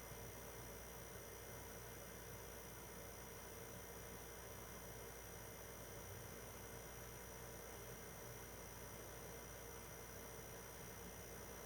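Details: PS4 Pro 3rd gen 7215B, only dusted with air duster, no new pads or paste, during taxing game opening cutscene: soft even airy fan hiss, no rattle or surging, not very loud; normal fan noise under load.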